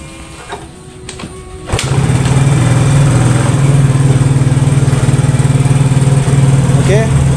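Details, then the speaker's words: Yamaha Mio GT scooter that was hard to start and died on throttle, battery charged and reinstalled, now catches and holds an even, stable idle instead of hunting up and down; normal idle. "mesin sudah menyala dan langsamnya juga lebih stabil ya."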